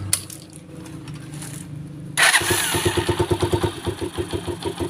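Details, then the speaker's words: Rusi Macho 150 motorcycle after tune-up and oil change (oil passages cleared, rocker arms now lubricated), started cold: brief cranking, catches and settles to low, even idle; previous valve ticking, noise and stalling gone. "o. Tahimik na tahimik. Mababa pa yung minor niyan. Nawala yung lagitik."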